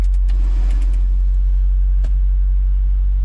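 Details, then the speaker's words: Mazda B2200 pickup, cold start after sitting overnight (about 51°F), in neutral after throttle pumps: a steady, smooth low rumbling idle creeping up as the engine warms a little; normal warm-up idle. "hear the idle is coming up as it warms up a little bit."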